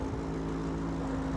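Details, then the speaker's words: Rolls-Royce Silver Shadow V8 at idle, just after being revved: steady low buzz over an even idle; owner suspects he just blew a hole in the exhaust, unconfirmed, to be checked on lift. "I've definitely got a hole in the exhaust. I'm definitely going to have to get that fixed. You hear that buzzing?"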